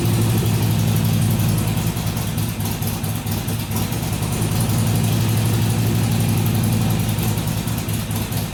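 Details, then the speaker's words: Harley-Davidson XR1200 V-twin on cold start after fixing a leaking throttle body and resetting idle settings to stock; less over-rev, but idle hunts between about 1000 and 1500 rpm repeatedly, cause unknown. "better but not a complete success it didn't over rev near as high when it started so the throttle was definitely leaking but it's still you heard it would it would settle down to about a thousand RPM then it would go up to 1500 drop back down and go up drop back down"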